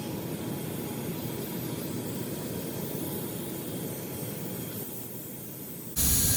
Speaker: can hear the steam flowing through the package as you can see from the slow-motion video as the high-pressure hot steam flows past the packing leak it condenses as it touches the cooler environment and turns to water droplets